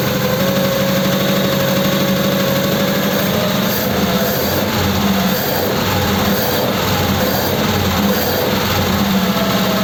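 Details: Holley 94 carb, cold and with the choke now off after starting on full choke: loud, uneven running, the note wavering and getting ragged as revs climb; carb suspected.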